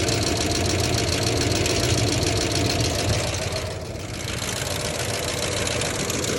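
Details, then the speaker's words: 1990 Ford F-150 XLT Lariat 5.0 V8 idling with a quick regular knocking tick, loud up top and underneath, rising with rpm; owner doubts lifters or rod knock, cause unknown. "I thought it was lifters but I don't think it is at this point foreign I don't think it's a rod knock because yes you can hear underneath however you can hear it really well up top too"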